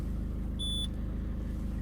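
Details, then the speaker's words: Peugeot 207 CC, engine running: a single short high chime sounds when the roof button is pressed, then everything locks with a retractable roof mechanism fault warning; windows work normally and the hydraulic pump can be heard. "Quand je démarre et j'appuie sur le toit, tout se bloque avec le voyant mécanisme de toit escamotable défaillant."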